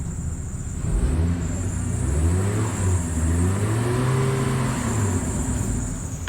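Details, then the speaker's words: 2003 Chevy Trailblazer revived after sitting almost two years, old fuel replaced: runs smoothly, then after a few revs the rpm falls back, sags low and almost stalls before recovering; rpm dip after revving. "runs good oh it's a little stall almost down the uh rpm when i revved it probably shouldn't do that anymore"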